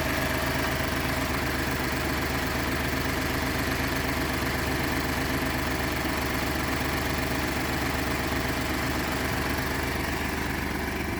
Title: 2012 F-150 EcoBoost cold start rough idle